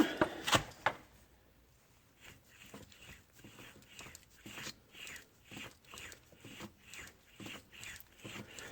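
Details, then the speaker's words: 2003 Ford Explorer Eddie Bauer, 115,000 miles, removed front right wheel bearing spun by hand in quiet room: gritty, uneven rumble pulsing about three times a second; bearing worn, caused whooshing and rubbing on road, louder turning right. "You shouldn't hear any of that. So this is definitely bad."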